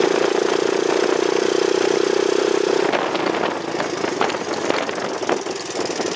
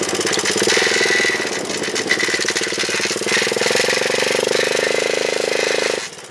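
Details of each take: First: Honda chopper ridden after cutting off part of the over-welded battery bracket: steady engine drone with no rubbing, scraping or ticking from the chain; the drive now sounds clean and quiet. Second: Honda chopper running with a rough scraping rub under the exhaust note, pulsing with the chain under torque; slack drive chain likely rubbing inside the housing, owner plans a tensioner.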